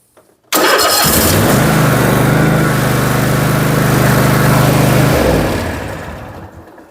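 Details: Toro TimeCutter SS 4225 mower after starter solenoid replacement: cranks, fires instantly and holds a steady, even drone for several seconds before winding down; a clean, healthy start.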